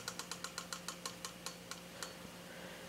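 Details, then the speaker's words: Induction motor switched off: sharp clicks slowing from about eight to three a second over a low hum as it coasts down, the normal centrifugal switch re-engaging the starting windings below a certain rpm. "that sound is is a centrifugal switch that turns and starting windings off once the motor comes up to speed it makes that noise at the end because the motor slows down past to the certain rpm"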